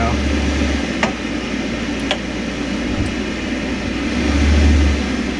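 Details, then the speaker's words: Rinnai V65iP non-condensing propane tankless water heater after repair: steady low hum with faint buzz and a few sharp ticks from the combustion blower; vibration persists, suspected out-of-balance squirrel-cage fan wheel after removal. "so the vibration is definitely still there so I'm pretty sure that with the squirrel cage being off it's out of balance now and that's what it's doing"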